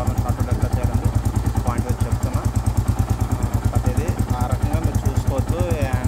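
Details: Royal Enfield Classic 350 Reborn BS6 after fixing no-start caused by water in the petrol tank, tank cleaned and refitted; even, regular single-cylinder thump at idle with no misses or hesitation, normal idle.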